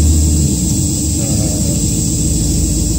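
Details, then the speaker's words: Audi Allroad quattro with swapped 2.0 TDI idling: steady low drone with even buzz as the air suspension compressor fills the rear air tank; valve block relocated inside the car; noticeable body vibration. "here now the air suspension compressor trying to fill the air tank in the back"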